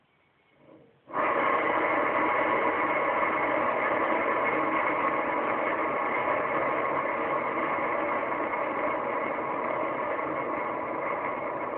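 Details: Worn trailer axle wheel bearings: a steady coarse rushing growl starts suddenly and runs on evenly.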